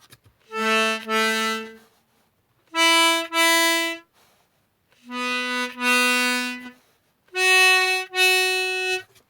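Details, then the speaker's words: Accordion restoration, final bass reed block on the tuning table with both holes uncovered: four held notes sound clean but one pair beats against itself; the outside reed of the end note runs sharp. "So the outside reed is running sharp."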